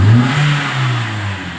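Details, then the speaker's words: Toyota Sienta 2016 after carbon cleaning and tuning, which fixed slow RPM drop, sluggishness, high fuel use and rough sound; idle now 700 rpm instead of held at 1000, and the free rev climbs fast and falls cleanly with no hang before dropping. "Sebelumnya cepat naik, lambat turun. Nah, stabil sekarang RPM-nya. Cepat naik, cepat turun."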